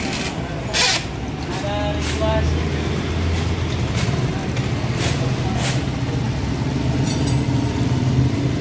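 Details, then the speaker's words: Motorcycle that stalled when hot with a light kickstarter from compression loss via a leaking valve, after repair restored compression: it catches after a short crank and settles into a steady, even putter with no knocks or misses; normal idle. "Oke, motor sudah bisa hidup. Motor sudah normal ya."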